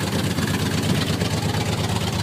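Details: Warmed-up 390 V8 with a mild cam, headers, 8mm wires, super coil, featherweight flywheel, C6 automatic with a light-stall converter and 3.73 Dana 60: a deep, steady burbling idle with no knocks or ticks; the owner notes worn rings and some blow-by at cold start.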